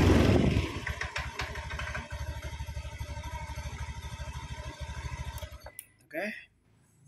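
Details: Honda Beat eSP scooter that had suddenly died, after charging the battery and reassembly: small single cylinder putters at an even, steady idle for about five seconds, then shuts off. Starts and runs normally.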